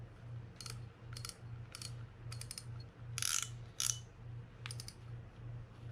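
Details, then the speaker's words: Shimano Stradic 4000FG reel freshly serviced and reassembled, cranked by hand: dull low hum broken by bursts of sharp ratcheting clicks; the servicer dislikes the noise, feel seems okay, source not found, drag to be tested outside. "Yeah, see, I don't like that noise right there."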